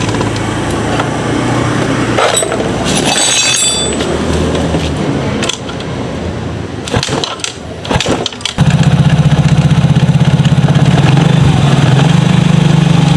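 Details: Yamaha Mio GT scooter, kick-started right after engine block replacement, smoking heavily at first: after some handling noise it settles into an even, steady idle with no knocks or rattles; sounds healthy.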